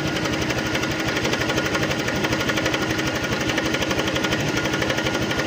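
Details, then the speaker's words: Honda Click 125 scooter, odometer reading about 2,480 but speedometer not working, idling: fast, steady metallic rattle, continuous when cold, from a slack cam chain and tensioner; another shop had blamed a bearing. "Ito ang issue nito mga ka-ridon kung maririnig niyo 'yung ganng ingay."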